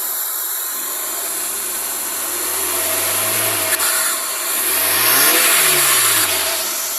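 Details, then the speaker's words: 2006 Maruti Suzuki Swift petrol with injector misfire complaint, after fourth-cylinder injector wiring fixed and taped: two free revs with clean even note heard at the silencer, no stumble; firing smooth, check light remaining, oxygen sensor suspected. "Firing बिल्कुल smooth हो गया। आपको silencer में दिखाता हूँ एक बार। ये देखिए बिल्कुल स्मूथ आवाज़ आ रहा है।"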